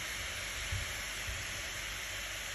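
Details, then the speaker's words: Acer Predator Helios 300 gaming laptop overheating, fans around 5,800 rpm (GPU) and 5,769 (CPU); loud steady airy rush with thin high tone, fan running at excessive speed despite previous attempted fix. "it is the same problem we had yesterday with the macbook air the fan is running at really high speed hear the sound okay and it is making really noise"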